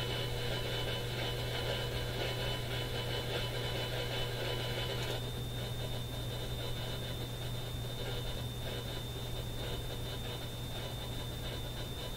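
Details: Radio scanned from 10 kHz up to 540 kHz, below the AM band, at home: steady low buzz with a thin high whistle over hiss; interference source unknown, smart power meter suspected.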